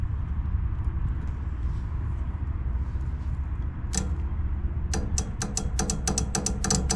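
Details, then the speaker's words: Rental-property heat pump/air conditioner after a blank thermostat and blown fuse, traced to a small short in a low-voltage 24 V wire feeding the solenoid, wire moved: steady even hum with sharp clicks near the end; normal operation restored. "Alright, that's the sound we're supposed to hear. So that little short in the wire was our problem."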